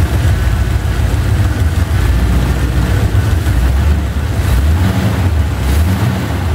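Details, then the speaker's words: Chevy 350 V8 after driver-side valve lash adjustment done with the engine running: deep, steady idle burble with an even beat and no ticking or tapping; much quieter than before, normal idle. "going to start the engine again listen to the sound how do that sound not bad quiet fairly quiet actually a lot better than you used"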